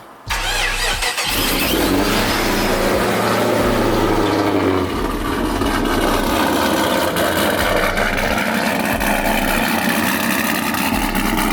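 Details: Procharged Pontiac G8 after a piston replacement done in a driveway: fires right up with a quick rev, then drops to a smooth, steady idle with no knocks; healthy running engine.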